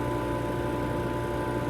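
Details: Vacuum Atmospheres Nexus glove box: with the pressure band set to ±1.5, positive pressure is added until it reaches the 1.5 limit and the vacuum pump turns on. It gives a steady, even hum with constant tones and no knocks or surges: normal vacuum pump operation.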